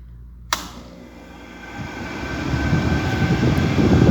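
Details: Window AC compressor that kept tripping, after capacitor replacement: switch clicks on, then a low hum and fan rush build steadily and even out; compressor starts and runs normally.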